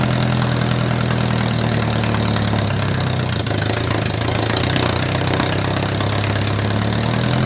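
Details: 1978 MG with 1.6L Miata engine in a cold garage, after idle air control valve delete to fix a vacuum leak. Steady, slightly fast cold idle, even low rumble, no misses or knocks; running smoothly.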